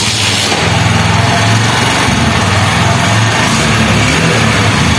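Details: BS6 Honda Shine with a starting problem from a blocked injector pipe, after reassembly with no warning light: the engine catches and settles into a steady, even idle with no misses or stumbles; runs normally.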